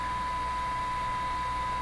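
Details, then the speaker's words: Hallicrafters TW2000 World Wide receiver during band 5/6/LW alignment with signal generator: as the meter rises, an extra whiny hiss with a thin steady whistle near one kilohertz comes from the speaker; oscillation in the receiver suspected, not confirmed. "exactly happened there now the moment that meter went up an extra hiss came out of the speaker doesn't quite sound like a hiss it sounds like a whiny Kris hiss like there's some kind of oscillation in there again"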